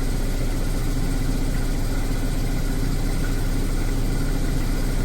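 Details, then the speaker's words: Mazda RX7 FC rotary just started after being flooded, idling around 800–900 rpm with oil pressure; low lumpy uneven idle with no steady rhythm, not particularly smooth but running. "looks a bit lumpy it's not particularly smooth but it's running so it was flooded all along"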